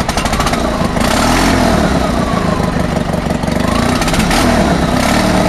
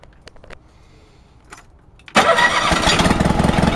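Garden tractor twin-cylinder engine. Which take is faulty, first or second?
second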